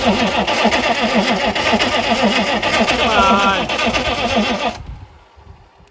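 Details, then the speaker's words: Chevy 6.5 turbo diesel after sitting 5 years, hot-wired, sprayed with starting fluid: steady starter churn at about four compressions a second for nearly five seconds, smoking but never catching; cranks, no start. "Give her a good lick. And try it. She wants to. She's smoking. She's making smoke. It's a good thing."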